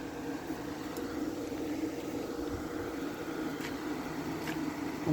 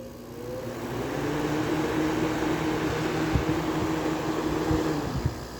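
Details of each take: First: Small Carry Cool window air conditioner running with a calm, steady low hum and even fan noise, no rattles or knocks; unit running normally. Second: Air conditioner fan motor after being oiled: it winds up slowly into a steady hum with occasional knocks. The fan still drags on a stiff bearing, so the plan is to leave it overnight and add more oil.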